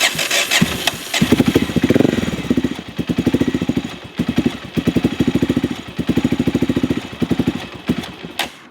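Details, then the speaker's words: Honda GB500 single-cylinder motorcycle at idle: steady thump that keeps dropping a beat, an uneven stutter or hesitation; owner suspects the carburetor not working properly, not the engine. "you can hear a little bit of stutter in the bike's Rhythm like you can hear that single thumping very consistently and then you hear a stutter a hesitation almost which is I think just the carburetor not wanting to work properly"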